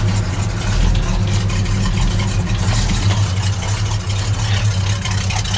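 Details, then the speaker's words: Dodge Dart Swinger 340 V8, shortly after cold start: deep, even idle with steady low rumble, no ticking or knocking; sounds healthy. "boy she sounds healthy listen to that"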